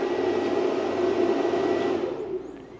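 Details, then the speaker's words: Redodo 2000W pure sine wave inverter powering an office laser printer at about 480-770 W: steady whooshing cooling fan roar with faint whine, tailing off near end; inverter fan cooling normally under load. "Turn the laser printer on. You hear the inverter scream to life."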